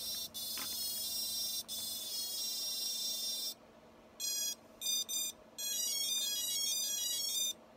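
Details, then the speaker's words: Drone ESCs give high-pitched startup tones and beeps when the battery is plugged in during Betaflight calibration, but no confirmation beeps after master throttle is pulled down and no motor spin-up; fourth flight controller installed after a crash. "plug in the battery now and then if I go down on the master control I never hear that concurrent set of beeps letting me know that it has been calibrated"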